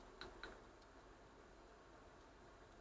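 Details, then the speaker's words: Bose Wave Music System IV CD drive playing one clean disc: isolated sharp ticks over near silence as it hunts and fails to read the data. Fixed by dismantling and cleaning the optical assembly. "I was playing sorry turn it up so you can hear what's going on it's sort of trying to read the data and can't"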